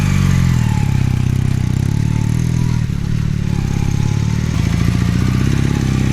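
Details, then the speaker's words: 1981 Honda CM400C vintage twin-cylinder motorcycle at idle: an even, steady, smooth low beat with no knocks or rattles. Healthy, normal idle. "ok so before I wrap up the video I'll fire up the engine so you guys can hear it run"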